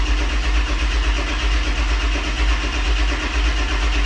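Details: Ford 7.3L Powerstroke diesel in a 1-ton dump truck, after glow-plug cycle with a jump pack, after valve cover gasket repair: steady even starter churn, about one beat per second, building oil pressure before firing; normal cranking.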